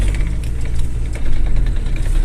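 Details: Стук в коробке передач при движении на 1, 2, 3, 5 и задней передачах (на 4-й нет): deep, irregular clunking and ratcheting under a low engine drone; gearbox knock, cause still unknown.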